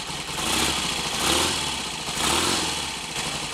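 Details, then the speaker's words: Royal Enfield Constellation twin after standing over the weekend, being readied for a road test following an oil leak repair, ignition on full advance: warm, steady, even tick-over with no misses or clatter; sounds healthy. "that sounds a bit more like it full advance"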